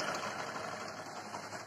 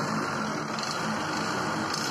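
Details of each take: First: Bajaj Discover 100 single-cylinder bike at idle, engine making heavy khad-khad noise; fast metallic clatter over light idle, timing chain rattle fixed by timing chain change. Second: Bajaj Discover 100 single-cylinder idle after timing chain replacement and rocker adjustment, previously loud clattering engine: now smooth, even idle with light regular tick and no top-end clatter; normal idle.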